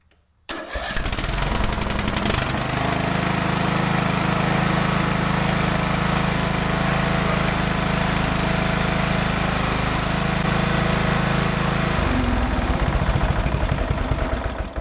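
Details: Craftsman DLT 3000 riding mower, shroud off, after refitting the original starter with a new Bendix: engine catches quickly and runs smooth and steady with no squeal or drag, then winds down cleanly.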